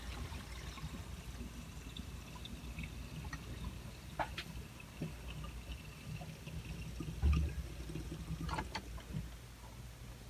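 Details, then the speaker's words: Cast iron drain pipe after patching a large hole with Pro Force, water run through: faint, steady trickle with a few soft drips, no hissing or spraying; drain sound and tight, no leaks. "no leaks at all."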